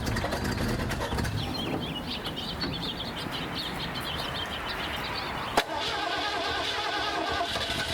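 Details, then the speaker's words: 1982 Ford Econoline-chassis RV V8 leaking coolant, white smoke: uneven, stumbling engine note with a sharp pop, running rough and needing left-foot braking; blown head gasket. "So I did have to do some left foot braking to keep this thing running. It's running pretty rough."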